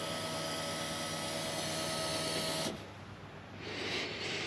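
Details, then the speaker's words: L98 LS-swapped Toyota Land Cruiser 80 Series: electric fuel pump primes with an even hum and faint whine, then cuts off cleanly; fuel heard through the regulator, no leaks found, normal operation. "all right well we've definitely got fuel we can hear it through the reg can not see any leaks so i think we are happy days there"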